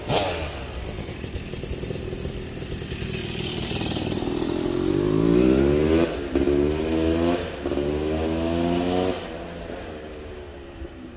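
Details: Yamaha YZ250 two-stroke (270cc/250cc) motocross bike on break-in street ride after full engine rebuild (bottom end, transmission, bearings, clutch, power valve): revs climb through several gears with clean even rises and crisp shifts, no hesitation; healthy.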